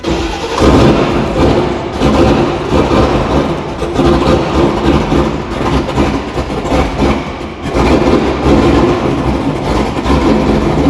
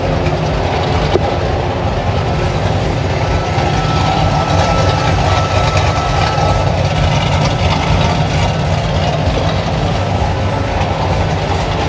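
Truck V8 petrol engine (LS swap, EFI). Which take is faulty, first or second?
first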